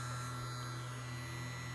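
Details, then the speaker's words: Crosley SCR-284A receiver's PE-104 vibrator power supply, after the failed selenium filament rectifier was replaced with a silicon bridge, running with no filament load: steady, even low vibrator buzz, normal. "push fix for this little power supply with no filament so it's humming away as you can hear"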